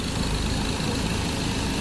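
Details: Ford 2.0 Bi-turbo diesel at 150,000 km, after a third injector repair: the failed pump's metal debris had stuck the injector needles, and the tank was cleaned. Steady low diesel clatter at idle, even and unbroken with no misfire or hunting; sounds healthy.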